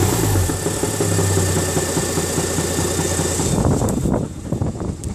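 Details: 2004 UK-spec Mazda RX-8 231 PS manual rotary, owned under a week: fast, rough rattle over the low engine hum; owner wonders about an engine knock or SSV bearing, cause unclear.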